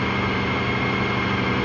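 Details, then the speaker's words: Honda VFR motorcycle, chain and sprockets replaced about 15,000 km ago, revved slowly from about 2000 to 3000 rpm: steady, even drone with no misfires, rattles or surges; smooth running, though choppy near 6500 rpm. "as you can hear the engine runs and it runs reasonably well"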